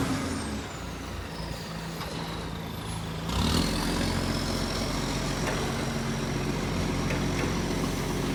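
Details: Shire of Serpentine-Jarrahdale garbage truck SL001401 out collecting, 16 Dec 2024: diesel running with a rough chuffing puff over the engine note and air-brake hiss; exhaust leak.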